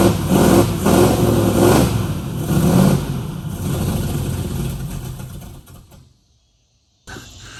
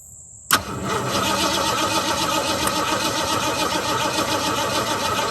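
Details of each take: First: 1969 Mustang that sat 15 years, shaved heads, after new starter, carburetor, coil and distributor: engine cranks, catches and revs unevenly before dropping out; old distributor believed bad, timing and carburetor still being adjusted. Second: 1969 Mustang that sat 15 years, after new starter, new carburetor and distributor change: catches and settles into a lumpy, uneven, wandering idle; owner suspects too much fuel or a carburetor needing adjustment or replacement; rough running after start.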